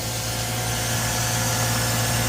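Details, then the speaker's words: 2009 Mazda RX-8 Grand Touring, 6-speed manual, 215k miles, rotary not run in 8 months (suspected low compression, prior high-temp warning, wouldn't idle), cold start smoking: buzzy idle with slight waver, barely holding on; rough cold idle, cause unconfirmed. "Man, it wants to go. I'll come back once I get her going. I don't know why it's smoking, but it's smoking."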